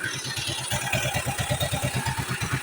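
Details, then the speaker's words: Yamaha Mio scooter, fresh build with 59 6.0 cams, first run at idle: fast even puffing chuff about eight per second from crankcase breather over otherwise quiet engine; covering breather silences it. "Tahimik naman yung makina, no? Breather yung maingay dito."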